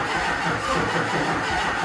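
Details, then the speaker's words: HMMWV Humvee with swapped Duramax LBZ diesel, first start attempt after FASS lift pump install, on a doubtful battery: steady starter whir with even compression pulses, never fires; owner suspects fuel system not properly primed. "last night just cranking and cranking and cranking and cranking and I don't think that it can I don't know I'm trying to go back through stuff"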